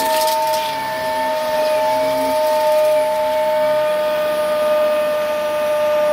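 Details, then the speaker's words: Old tip-salvaged Dyson Ball vacuum running: high, steady whistling whine above a faint low hum at constant pitch; motor sounds noisy and whiny, cause unknown, owner will try to refurbish or fix it. "I don't know what it is with the Dyson holds with old a Dyson balls but with wine and an awful lot the motor sounds whiny"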